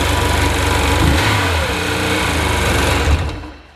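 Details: 2001 Sea-Doo GTX DI jet ski with a 951 direct injection two-stroke engine, 118.1 hours, 120 psi compression in both cylinders: a crisp, even two-stroke buzz holds steady for several seconds before shutting off; no misfire or knock, healthy running.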